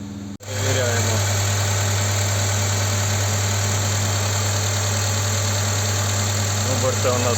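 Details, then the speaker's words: Hyundai Santa Fe petrol after new valve cover gasket and sealing of vacuum leak from broken bolts: once slightly warmed, high hunting idle drops and engine runs with low steady even hum. "трошки прогрілися оберти двигуна упали зараз нормально працює рівно"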